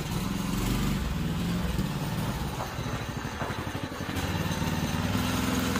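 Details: Predator 212 6.5 hp OHV replacement engine on a 1990s Manco Thunderbird minibike: even single-cylinder putter rising and falling slightly with throttle, no knocks or misses. The small engine runs cleanly.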